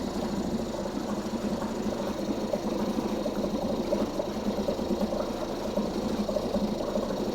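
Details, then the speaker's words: 2004 Mercury 2.5 hp two-stroke outboard, not winterized and sitting 6 months, fuel possibly without stabilizer, started on choke with throttle and fuel on, about first pull; fast, even buzzing putter with no misses or knocks; normal running on choke. "Ah, whoa, whoa, hey. She's a runner. Was that like first pull, technically?"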